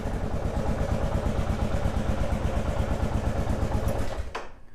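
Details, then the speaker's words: 2001 Kawasaki KLR650 single that sat 4 years, revived with new battery, spark plug and cleaned carburetor: even thump at a steady warm-up idle with a little squeak, then shut off; normal idle, no misfire. "We'll let it warm up a little bit. Sounds okay. Sounds like a KLR. It's got that little squeak."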